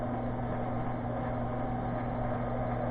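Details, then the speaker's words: ShopTask 17-20 XMTC lathe spindle running: steady hum with constant rough, gritty, crunchy edge; feed-rate lever pushed fully over forces one gear's face against another, causing the noise rather than bad spindle bearings. "this lever moves two gears side to side in there to give you your different feed rates if you move this all the way until it stops it puts the face of the one of those gears against the face of another gear"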